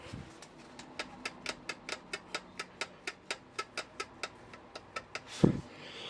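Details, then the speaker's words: Kukirin G4 electric scooter rear suspension gives sharp, regular squeaks as it is pumped over bumps; owner suspects play where the bolt enters the top of the shock. Rear suspension squeak. "Мужики, я столкнулся с такой проблемой на своём G4, что вот такой вот звук у меня появляется, когда я езжу по ямкам. Слышите, как скрипит?"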